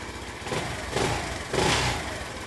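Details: Honda C90 small single with newly fitted aftermarket 19mm racing carburettor, throttle cable shortened for free play: ticks over evenly and quietly, short throttle blips settle back cleanly; healthy idle.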